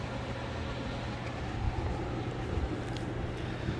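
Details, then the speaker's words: Used 3-ton mini split outdoor unit, run in cooling mode at about 70°F outside, after a blown main board fuse was replaced: expansion valve opens, then fan spins up with steady low whoosh and hum, no rubbing or rattles; normal fan start. "Here's the expansion valve opening. There goes the outdoor fan."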